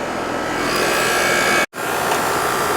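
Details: 2007 American Standard R22 AC condenser after repair of a fan that was not spinning, cooling well with a cold suction line: steady, even whoosh of condenser fan and compressor, no rattle, grind or squeal; unit sounds healthy.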